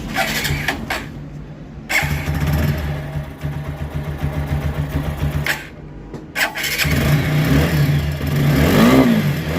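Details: TVS Apache RTR 4V 160 after replacing the timing to cure an engine noise: it cranks, fires and idles with an even putter, then revs cleanly with no rattle. Normal running.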